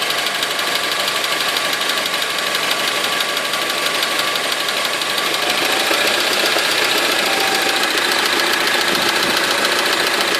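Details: Honda with 4D engine at idle: irregular ticking knock, a couple of hits per second, over a harsh hissy background; source undetermined.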